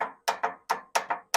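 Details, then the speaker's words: 30-year-old lawn mower, solenoid jumped directly bypassing faulty key switch: sharp uneven clunks, about six in two seconds, engine never turns over; starter engaging but not cranking, possibly weak starter. "the starter try to engage I don't even know what that is that sound like maybe weak guys"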